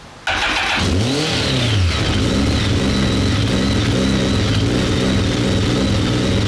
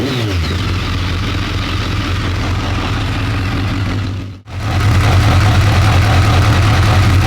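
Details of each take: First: BMW K1200 R motorcycle, pipes hot, fuel pressure 2.3 bar (low side), no current fault codes: fires up and revs with an uneven, stumbling beat; rough running misfire, cuts out, cause unclear. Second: BMW K1200 R motorcycle, sat 2 years, after fault fix, warm at just over 100 degrees with fan on: steady even idle, smooth low beat, no stumbling or misfire; slight clutch rattle noted; normal idle.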